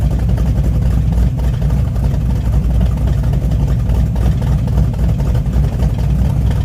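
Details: Hot rod lawn tractor on used spark plugs, with a plug wire touching the header and a raw gas smell: lumpy, uneven low exhaust beat with skipped pulses at fast idle; owner suspects a misfire, down a cylinder.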